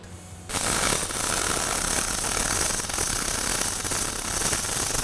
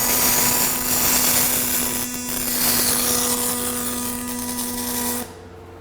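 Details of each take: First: Fronius Fortis 270 MIG welding aluminum without push-pull or spool gun, inductance swept from 0 to 10 along the bead: harsh crackling with heavy spatter at low inductance, smoothing out a lot as the setting rises. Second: Fronius Fortis 270 pulse MIG welding aluminum without push-pull or spool gun: even, steady buzzing arc with a low pulsing hum for about five seconds, then stops; smooth, stable pulse weld.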